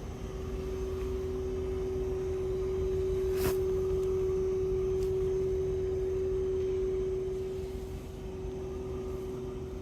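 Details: New Fujitsu 2.5-ton heat pump, model AOUH30LUAS1, outdoor unit in heat mode at low speed with the fan turning slowly; a penetrating 381–434 Hz tone from the inverter compressor drive. It was replaced with the quiet 30LUAH1M high-heat model.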